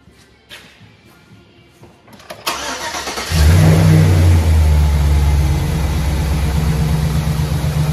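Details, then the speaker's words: 2006 Chevrolet 5.3 V8 after new exhaust manifold gaskets and broken bolt removal: cranks, catches and settles to a steady even idle with no exhaust leak ticking. "No more exhaust leak at least. Sounds good. Thank goodness. It's all coming out of the back now."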